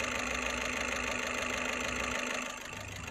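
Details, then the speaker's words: Skoda Rapid 1.6 TDI diesel idling with bad vibration and a steady hard knock nearly four beats a second; check engine and glow plug lights on, scan shows faults in injectors 1 and 4. "Engine बहुत ही बुरी तरह vibrate करता है। मैंने scan करके देखा है, इसके 1 नंबर और 4 नंबर इंजेक्टर में प्रॉब्लम है।"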